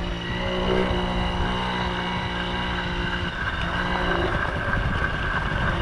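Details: 1980 Yamaha QT50 two-stroke moped on its test ride after eight years off and many new parts: crisp, even buzz holding steady with some wind noise, quiet, no misses. Normal running.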